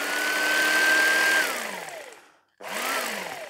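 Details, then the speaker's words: Salvaged kitchen appliance from e-waste, blades checked connected before test: small motor hums with high buzzing whir, said to sound like a sewing machine, coasts down, stops, briefly restarts; smooth, running normally. "those ones look okay let's get that a go oh that's that sounds like a sewing"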